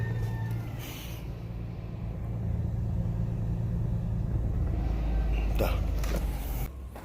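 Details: 2006 Toyota Tacoma 4.0-litre that had died and would not restart, no fault codes on the scanner; engine catches and settles into a steady low rumble with no misfires or knocks, running normally.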